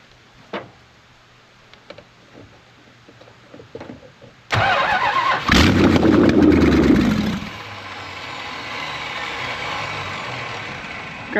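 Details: 1968 Plymouth Road Runner with a 440 V8 (tag suggests ~1978 truck/motorhome engine), no headers or manifolds; hot-wired after new starter, oil pressure confirmed; quiet ticking, then fires instantly into harsh open-port bark and loud, raspy, uneven idle, run only briefly.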